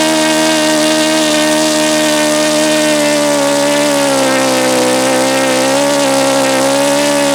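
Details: Saito FA-72a model four-stroke engine, first run with APC 12x7 prop, outdoors at about 71°F: high buzzing note that sags and wavers instead of holding steady; owner suspects too lean at the low end, throttle arm then adjusted.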